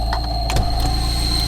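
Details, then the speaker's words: Car at 112,000 km, engine idling in gear as the clutch pedal is pressed: a thin, steady high whistle that is absent with the pedal released. Clutch release bearing suspected, not confirmed. "А сейчас засвистел уже сцепление Ну по ходу дела выжимной подшипник сейчас заведу услышите что и как"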